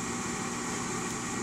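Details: RUUD gas furnace just after replacing a pressure switch with bad contacts (it only started when tapped): steady, even airy whir from the inducer fan, no rattle or squeal, while waiting for burners to light; normal.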